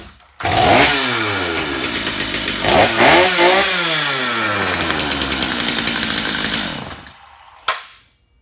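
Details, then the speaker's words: Flooded two-stroke chainsaw after drying out and spark plug removal, choke off, run position, trigger wide open: fires after three pulls and climbs to a high steady wail, then cuts off cleanly; now running properly. "So, there you go, you guys. You just unflooded your chainsaw."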